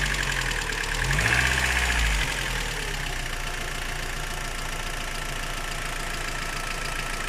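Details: Rover 25 engine at idle with a steady rhythmic tapping about four times a second under the running noise; owner asks about the strange noise, source unclear.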